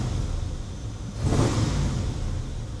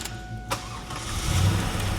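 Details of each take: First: 1997 Chevrolet Camaro SS V8, low mileage, persistent misfire two shops couldn't fix: short revs over a rough, uneven idle with sharp backfiring pops; runs well above 3,000 rpm so flat cam doubted, partially fouled plugs suspected. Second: Low-mileage 1997 Camaro SS with misfire from fuel left sitting, after injector cleaning; engine catches and revs evenly, steady low rumble with no stumble or misfire, much smoother; normal rev.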